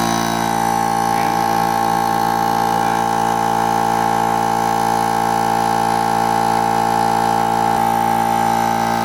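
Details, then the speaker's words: Central Pneumatic (Harbor Freight) 90234 air compressor after repairing seized pump with damaged connecting rod: steady even hum, constant tone, no knocking or binding; pump turns freely, much better than before failure. "sounds a lot better than it did right before it failed"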